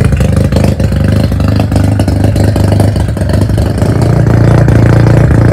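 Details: Mazda FC3S rotary being rebuilt, revved after the exhaust muffler was fitted (previously run without one): deep, even drone rising smoothly in pitch with no misfire or rattle. Healthy, well-muffled exhaust note.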